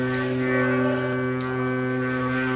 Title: Кран гудит как перфоратор